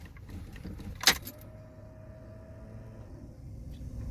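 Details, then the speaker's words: Pontiac Fiero long left standing, battery being charged, key on: thin steady whine about two seconds then stops; fuel pump priming normally, though starter then fails to turn over. "Fuel pump works."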